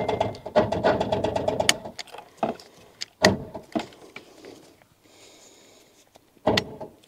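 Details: Rover 800 abandoned 15 years, turbo spins free: starter chatters in short bursts then heavy isolated clunks; engine barely turning, tight and dragging, slowly freeing; owner wonders if the water pump is locked.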